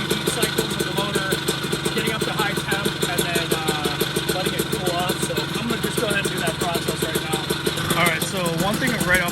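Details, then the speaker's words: Puch Maxi moped with 70cc kit, first start-up after build, two-stroke idling: lumpy burbling uneven patter with lots of smoke; running rich, owner suspects it's getting too much gas, plans spark plug check. "bat it's kind of hard to see but i got a lot of smoke coming out so odds are it's getting too much gas"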